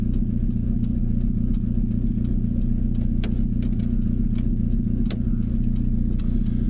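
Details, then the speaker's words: VW camper with freshly swapped AHU TDI diesel on first test drive, stopped at a red light: steady clatter with a lumpy pulse near four beats a second; rough, uneven idle. "and if the idols a bit lumpy as well too to be honest it sounds like I'm inclined to want to get it back quickly because it does not sound like it happy"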